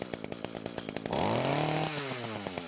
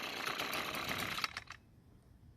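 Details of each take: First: Echo two-stroke trimmer that previously started but would not reach full speed, after replacing the muffler, top cover and spark plug, revved with the attachment removed: it snaps up cleanly to a high buzzing scream and drops back to a steady idle, now revving freely and normally. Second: Echo string trimmer, two-stroke: thin buzzy running that never reaches full speed, heavy smoke from the muffler, then dies; fuel mix checked fine, suspected carbon-clogged spark arrestor screen restricting the exhaust.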